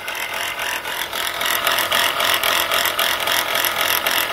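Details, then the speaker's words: Chrysler Pacifica engine at idle: gritty rattle three or four times a second; alternator bearing judged shot, pulley bouncing with brown residue around it. "like that alternator bearing is shot"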